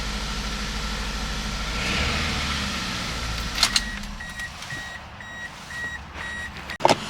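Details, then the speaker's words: 2003 Toyota Corolla 1.8 idling after half an hour running, following removal of insurance ALDL adapter that caused no-start: steady idle under a repeating chime and door clunk, no misses or hunting; runs perfect, no codes. "I've had it running here for about a half hour it's running great runs perfect no codes"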